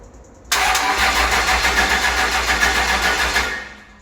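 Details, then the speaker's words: 2006 Cummins diesel truck after electrical repairs and cleaned corroded battery terminals, batteries at 11.5 V, converter bolts not yet fitted: starter spins it briskly and it fires, running evenly about three seconds before shutoff. "All right, I'm not gonna let it run because he doesn't have the converter bolts up. But it spins over, all the electrical's taken care of."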